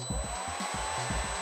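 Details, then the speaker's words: Lathe motor on a new IEK Control A310 220V single-phase 2.2 kW VFD, vector-mode autotune run unloaded at idle from nameplate data: rapid low thumping clicks about five per second under a thin high drive whine; normal, tuning completes. "вот теперь частотник тестирует двигатель сам по себе, то есть без моего участия. Слышите, щелкает в двигателе. Все, настроился."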